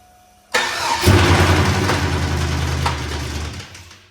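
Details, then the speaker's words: Truck's second engine, possibly blown, with a hole found in the side of the block; a bystander suggests injector knock from ether. V8 catches, runs roughly with an odd uneven clatter that is not a typical knock, then dies. Cause unconfirmed. "So, as you heard, it sounds weird. Yes, it does. And on video, it does not sound like a a very It It sounds very weird. It's It was like in person, it's not a knock, you kn"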